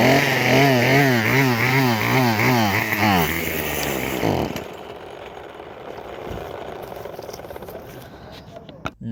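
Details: Craftsman WS2400 pole saw bought used, starts but runs poorly: revs hunt up and down two or three times a second for four seconds, then die out; stale fuel and bad carburetor mixture.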